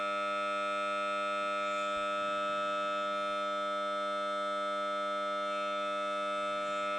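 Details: Samsung Note 9 phone speaker emits a steady, harsh, continuous buzzing drone with a siren-like edge at random while playing audio; only a phone reboot stops it.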